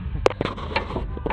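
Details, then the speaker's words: 7.3 diesel truck's steering joint rocked by hand: loose metallic clacks from play in a worn steering joint, found after suspension bolts were tightened: worn steering joint rattle. "My steering was loose here. This is probably worn out. There's no probably over here. You see that? You probably hear the the rattle"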